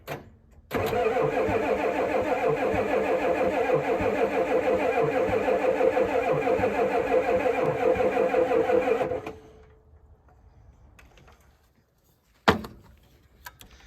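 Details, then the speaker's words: 1988 Ford F350 7.3 IDI diesel, sitting since the 1990s, run-off switch wired straight, freezing cold, weak batteries: steady even cranking about three turns a second for eight seconds with no catch; crank no start, the engine slow to self-bleed. "All right, one thing about these old trucks, they don't love self-bleed. It takes them a minute."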